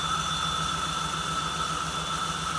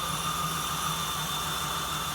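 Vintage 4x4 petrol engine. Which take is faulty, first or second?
first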